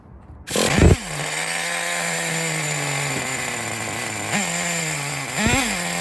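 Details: 2006 Traxxas Nitro 4-Tec 3.3 (model 4809) with a rebuilt TRX 3.3 engine starts right off and settles to a steady buzzing idle that sits a little low, with short throttle blips; it still needs fine tuning.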